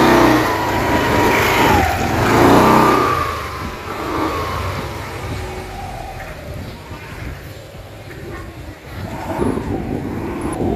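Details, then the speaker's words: Yamaha NMAX scooter CVT with its aftermarket clutch lining refitted for comparison: high mouse-like chirps when pulling away from stop up to about 10-15 km/h, fading with speed; the faulty aftermarket clutch lining causes the squeak. "yan yung lining na nag-iingay parinig namin sa inyo yung ingay mga Bok"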